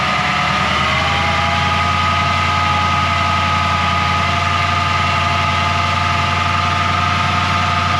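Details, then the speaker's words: 1940 Mercury V8 hot rod at idle, timing still off, with a new one-wire alternator fitted that didn't cure it: a steady high whine above the idle; owner suspects the throwout bearing or transmission; engine whine. "that wine i don't know what that wine is must be the throat bearing is whining because i thought it was the alternator it's not"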